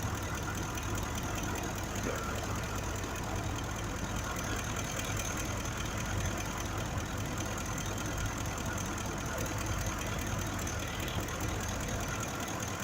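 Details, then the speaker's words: 2005 Ford F-150 5.4L V8 idling: steady idle with rough uneven low thump; cylinder 2 misfire, injector curve missing on scope, mechanical fault of the fuel injector, replaced. "le está pegando este es un problema mecánico del inyector"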